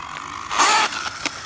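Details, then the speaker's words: Traxxas Slash 2WD RC truck with VXL brushless power, while bashing: short harsh grinding rasp with sharp clicks under throttle, like gear teeth skipping; something stripped, suspected pinion, spur gear or differential. "You guys hear that? She does not sound healthy. Yep. Something stripped, guys. She's done. It's most likely the pinion gear, it could be the spur, it could be the differential could have given, who knows."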